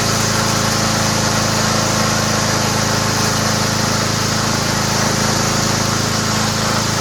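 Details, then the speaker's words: Toro Recycler lawnmower fitted with a used Honda engine: loud, steady, even drone with blade whistle, no misses or surging; engine starts and runs great. "Let's see if it starts. Sounds great. That's a good engine, man."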